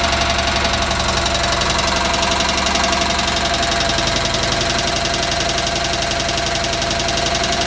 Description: Onan CCK engine making a knocking or tapping sound